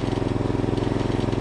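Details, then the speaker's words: 1989 John Deere RX75 small riding mower, single-cylinder engine just started on choke and idling in neutral; quick even chuff with a slight faint rattle at idle, source unclear. "rattles a little bit let's give it a little more"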